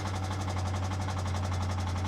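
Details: Loud engine rattle, a fast steady metallic clatter about nine beats a second over a heavy drone, right after starting a 2015 BMW 650i at about 127,000 miles; a loose timing chain suspected, not confirmed, and the tapping later stops.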